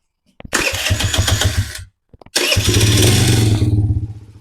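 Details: 2007 Kawasaki KFX50 4-stroke 50cc kids' quad, sat 3 years, after CDI and fuse replacement fixed no spark and a sheared keyway was addressed: fires, runs briefly, stops, then restarts cleanly and buzzes steadily before easing off. Normal start and run.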